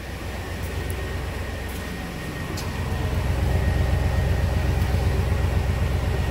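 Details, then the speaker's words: 1997 work truck after replacing the number two injector that caused a lean-cylinder misfire; steady, even exhaust rumble at idle heard at the tailpipe, no skips, misfire gone: normal idle after repair. "yeah took care of it I'd say our misfire is completely gone"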